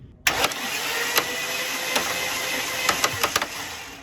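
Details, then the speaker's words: Mercedes W203 with Ford Intec 4.0 and two superchargers; on start-up, harsh uneven chatter and repeated sharp slaps from the front as the belt walks off an idler pulley that was never fully tightened; better once tightened. "that's better I think I never tightened up this idler pulley all the way so that was why the B started to walk"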